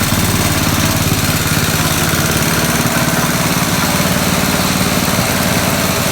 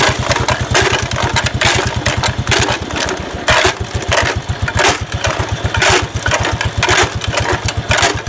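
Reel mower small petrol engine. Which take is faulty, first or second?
second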